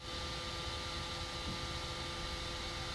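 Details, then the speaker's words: Older original Raspberry Pi PoE HAT fan at full blast, for comparison: a steady airy whoosh with a thin constant high whine, quieter at about 45 dB at close range and 2.2 CFM; running evenly and normally. "the new fan gets up to 54 decibels at close range compared to the old fan at 45 that's a pretty significant difference and you'll definitely notice it if you're in the same room as the fan"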